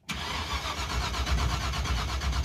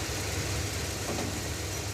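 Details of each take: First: Stretched 1986 Chevy crew cab dually with a fire-truck coil and a borrowed ignition box whose light blinks: steady starter churn, a few beats a second, that never fires; no spark. The rotor checked fine, and the distributor pickup is to be changed next. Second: Stretched 1986 Chevy crew cab dually V8 after the power steering was bled, with no chatter when steering: a smooth, even idle with a deep steady rumble and no knocking. It is reluctant to take throttle, and bad gas is suspected.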